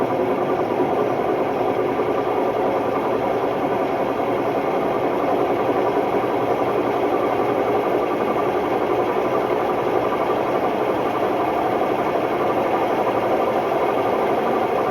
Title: Hotpoint Ultima WMD960 washing machine || Test spin: My ears were left ringing… bad bearings!!